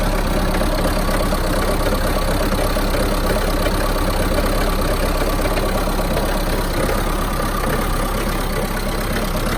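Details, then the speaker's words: Mahindra Roxor diesel cold start in winter (about 15°F expected): loud, uneven idle clatter with a slightly wavering, missing beat; runs rough for the first one to two minutes after starting, then settles out. "so when you initially start the rock saw it will I do a little rough for about one to two minutes then everything settles out so most I've noticed when it starts is like it's missing it's really rough"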